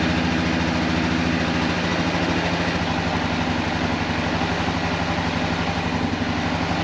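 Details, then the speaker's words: Kawasaki Prairie 400 single-cylinder engine after rebuild: uneven, stumbling idle around two beats per second, never settling; carburetor still acting up, owner suspects it needs a float adjustment. "the carburetor is still acting up so I think it needs a float adjustment"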